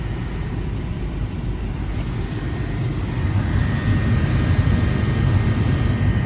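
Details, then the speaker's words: New replacement blower motor (second replacement, after an Amazon unit failed) in a 2007 Honda Pilot heater, fitted with a new resistor; smooth low rushing airflow swelling as the fan spins up, no squeal or ticking; blower now running normally. "you hear that? It's the sound of a blower running. So, happy camper here."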